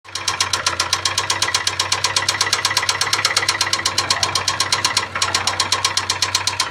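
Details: Ford Sierra 2.0 carburettor engine at idle: sharp, regular mechanical ticking knock about four per second from inside the engine; owner asks for help, cause unknown.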